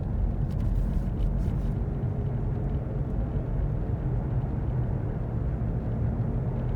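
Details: Worn hub bearing heard from a tyre while driving at constant speed, recorded from the passenger side: a deep steady rumble rolling under road noise, heard as gogogo, rururu, won-won, gorogoro.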